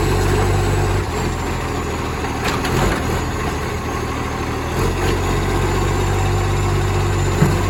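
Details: Garbage truck #FN11487, a 22 m diesel with a flat-faced Acco cab, idling, recorded from the exhaust side: deep, loud chuffing roar from a massive exhaust leak.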